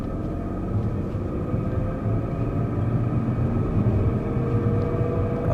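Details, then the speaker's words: BMW 740 with an abnormal noise while driving: steady droning hum with a faint whine over road rumble that changes when lifting off the throttle, so it sounds like the differential rather than a bearing; differential noise. "再试一下，有点像差速器的声音，不像那个轴承的声音。轴承的它不管丢不丢油门，声音它是不会变化的。"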